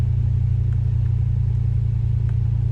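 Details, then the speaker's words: MK7 2015+ VW GTI after installing an OEM RS3/TTRS low pressure fuel pump on a Skunkwerks harness, which had been cutting off the night before; pump primed, no EPC light. It holds a smooth, even low idle with no dips or stalling. "think we're good let the car idle a little bit for a few minutes and if it lives cuz it was cutting off last night if it lives we're going to get out of here get some gas"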